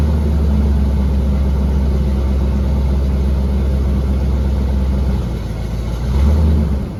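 Deep, even V8 rumble at idle with a small blip of revs near the end; steady firing, no knocks or misses heard.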